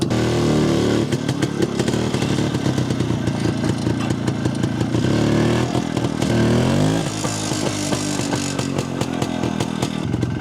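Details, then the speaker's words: Jawa 250 two-stroke after engine repair and carburetor tuning (self-drilled ~0.66 idle jet, 95 main jet), after a night ride: crisp even idle, steady popping, no misses or hunting; runs nicely, idle perhaps slightly high. "Nyt se käypi aika nätisti jo. Vähän on korkealla ehkä tyhjä käynti, mutta muuten käy nätisti."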